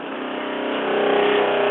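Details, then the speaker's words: Fresh water pump on a vintage Cruiser 19 ERD trailer after a faulty check valve was replaced with a half-inch SharkBite check valve: steady buzzing hum that firms as air clears from the lines and the system pressurizes; normal pump operation. "see if we can't get water to build up all right once we got the air out of the lines the system was able to pressurize and voila"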